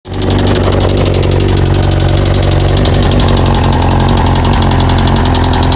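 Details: 1998 Kawasaki ZX6R idling with a quick, regular metallic knock about ten per second; bought with the noise, told valves or cam chain, owner suspects rod knock; unconfirmed.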